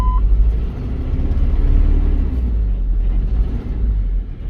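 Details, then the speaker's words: Truck that sat over five years, first start after replacing the in-tank fuel pump and strainer and adding fresh premium fuel: catches into a lumpy, uneven rumble that surges and sags; running rough and needs a tune-up. "it's alive it's not happy but it's alive"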